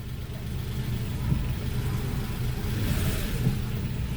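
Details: Daewoo Matiz after engine and clutch repair, with first gear engaged: steady low engine rumble with a light rev, smooth and even with no knocks or grinding; all gears engage and the clutch grabs early, but there are no extra noises.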